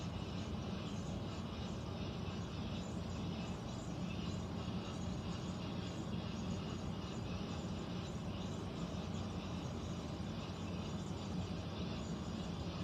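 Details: Central air conditioner air handler, heard in a bedroom and seeming to come from above the closet, gives a steady low droning rumble with a faint hum and no knocks; abnormal noise, cause unknown, possible leak questioned.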